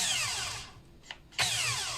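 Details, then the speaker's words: Brushless cordless drill, controller and switch already replaced by its owner: on a fast trigger press the motor whines up, the light flashes and it dies within a second, then restarts and spins down again. A slow trigger press runs fine. "但是只要快速按下去呢，它就是闪灯转1秒钟。它如果轻轻的按开关，我们逐步推进，它是没有问题的。这样子轻轻的按，但是按快了就不行。"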